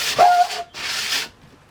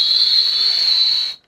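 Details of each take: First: RV sliding window after spraying dry lube on the rubber seal and working it in and out: bursts of sliding with only soft rubbing hiss and no squeal; previous squealing gone. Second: RV window sliding in its frame during maintenance: piercing, steady high-pitched squeal like nails on a chalkboard, stopping when movement stops; caused by the dry vertical rubber seal, not the dirty top and bottom tracks.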